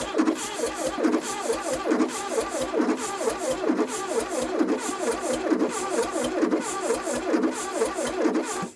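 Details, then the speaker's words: 1982 Plymouth TC3 unrun for 32 years, fuel poured in, timing unverified: steady labouring crank for nine seconds, never fires; owner suspects cranking too slowly or too much gas. "I don't know if it's spinning fast enough I might have put way too much gas in there too"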